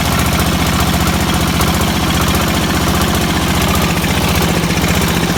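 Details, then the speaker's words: 1969 Sears Suburban 12 garden tractor with a 10 hp single-cylinder diesel, cold start by hand pull, new intake manifold and 1" NPT exhaust adapter: steady, rapid, even chugging idle, dry and fairly mild; running normally. "oh there's one pop whoo this thing is not easy to pull over I'm a pepper shaker it's not even that loud"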